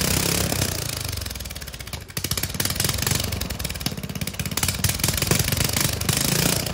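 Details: Lawn mower single-cylinder engine, muffler removed before a turbo is fitted: loud raw crackly bark on every firing pulse as it idles and picks up.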